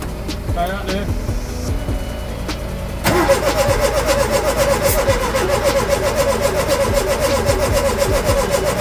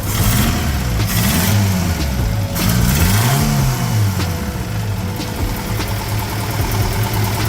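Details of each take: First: Ford Capri with a reconditioned Pinto engine plus new distributor drive, cap, points, leads, plugs and carburettor: steady rhythmic cranking, spark present, but it never catches. Ignition timing is off, so no start. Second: Ford Capri with a reconditioned Pinto engine, now running: a low throaty engine blips up and settles cleanly, no misses or knocks. Normal running.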